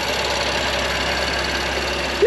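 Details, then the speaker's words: BMW M2 Competition track build, warmed up after first start; smooth even idle, earlier lifter tick gone, only light fast high-pressure fuel pump ticking remains; normal warm idle. "she's running she's getting quiet too I don't know if you guys can hear it but that tick is gone just high pressure pump tick now"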